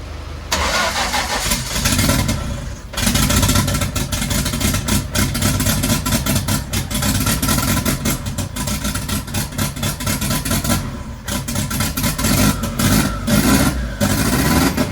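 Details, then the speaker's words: Mk1 Ford Fiesta with a turbo Zetec. It catches and runs lumpy and uneven, stumbling and surging; cylinder 1 gets hot but cylinder 2 stays cold, so it's misfiring, with oil possibly coming from cylinder 2. "Cylinder 1 is now hot. Cylinder 2 is not. So we've still got a problem there."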